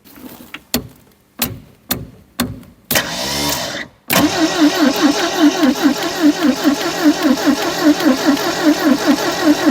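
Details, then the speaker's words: 1972 Triumph Dolomite 1850, off the road since 1990 (34 years), first start attempt with choke: short starter stabs, then steady cranking that never fires; owner suspects no fuel reaching the carburettor, fuel pump possibly not working. "choke well no joy not even trying I don't think there's any fuel in there"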